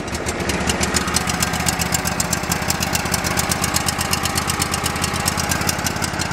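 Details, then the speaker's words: Go-For Digger tow-behind backhoe from an estate sale, long sat with no history, on its first runs. A small twin runs rough with an uneven, lumpy beat of about four pulses a second and irregular gaps; it sounds like it's running on one cylinder. "Definitely was not expecting that. Sounds like it's running on one cylinder a little bit."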